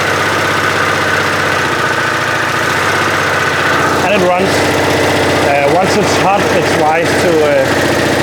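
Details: Citroën 2CV air-cooled twin, test run after fitting electronic ignition, idle speed not yet adjusted: catches and settles into a steady, even putter with no misses or knocks; running smoothly.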